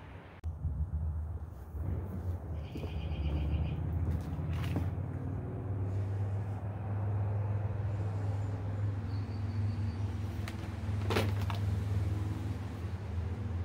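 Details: Dirt Devil Endura Max UD70175 upright vacuum with belt in good shape: steady low motor drone that never changes pitch, straining; running with the hose clogged by a metal-wrapped fake tree branch.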